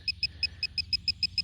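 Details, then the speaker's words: Metal-detecting pinpointer close to the target in the hole: quick high double-tone chirps about six a second over soft digging; the pinpointer is signalling it is right on the target, a coin. "hear the chirp this is where my screwdriver comes in"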